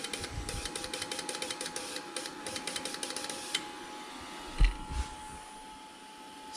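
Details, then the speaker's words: Red crew cab truck, Bank 2 injectors 2, 4, 6 and 8 on a bench test rig with a power supply and fuel pump: rapid clicking as 2, 4 and 6 fire, then quiet because cylinder 8's injector doesn't fire; owner suspects it is stuck or clogged. "if I flick my little switch which provides ground to the injectors you can see two four and six are firing but eight isn't doing"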